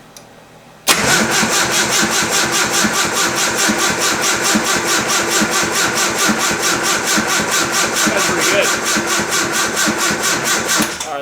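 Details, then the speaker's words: Nissan 240SX S13 turbo build with newly wired aftermarket ECU: steady starter cranking about ten seconds, never fires; RPM and injector pulse present, ignition output tested good, but coil not responding, no spark, suspected previous-owner wiring. "everything's running good but we have no spark and it's has nothing to do with my side"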